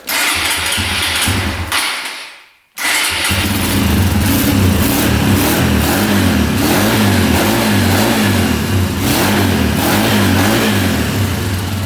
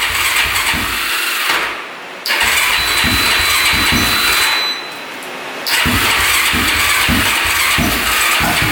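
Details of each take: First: Mostly stock Honda machine started on jumper cables: the engine catches at once and revs up and down cleanly with an even beat; it starts well, though fuel is leaking. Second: Stock Honda ATV on a jumper from a dead battery with choke pulled out: fires only on choke, revs in ragged surges, sags twice and won't hold a steady idle; very hard starting and rough.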